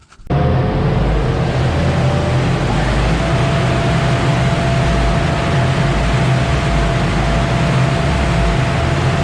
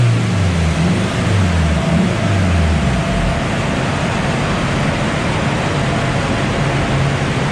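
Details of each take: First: Honda DC2 Integra K20 turbo after swapping plugs (gapped 0.6): loud engine with an uneven, lumpy pulse; misfire persists, plugs didn't cure it, suspected number four injector wiring. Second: Honda DC2 Integra K20 turbo run after hardwiring injector pins: steady engine roar climbing under full load with road and wind rush, no stumbles or popping; misfire fixed by injector wiring repair.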